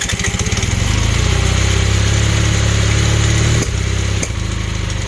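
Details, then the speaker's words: Honda Hondamatic 400, revived after 20+ years sitting with carbs cleaned, idles roughly with an uneven beat and light top-end ticking over the exhaust pulses; throttle cables not hooked up. Suspected valve out of adjustment and sticking. "that's a that's a valve out of adjustment and sticky"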